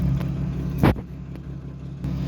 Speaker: But you can hear the noise. That's not exhaust. That's that's a hammering lifter and or some lowerend noise.